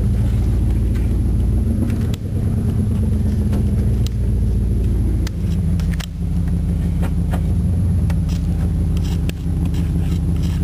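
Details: 1993 Chevrolet 305 V8 fuel-injected truck, started on about half a gallon of added fuel: deep, steady, even rumble with no misses, knocks or ticks; described as a little rough but runs good, normal idle.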